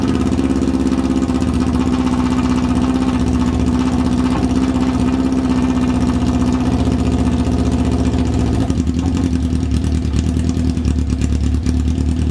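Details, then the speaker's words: 1994 Yamaha FZR600 that sat 15+ years, idling without choke: the four-cylinder holds a smooth, even, low burble with no stumbling or misses. Revs hung when revved earlier, cause unknown. "all right it didn't really like to be revved but it does idle pretty well I'm pretty impressed with how it idles"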